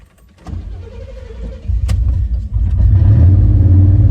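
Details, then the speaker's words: 1989 Chevy Silverado towing on a long trip; slow, labouring crank before it catches, then a low uneven idle that needs throttle held; hard starting, owner suspects a slowly dying fuel pump or sticky injectors, with power loss. "Start up, honey. This thing's hard starting."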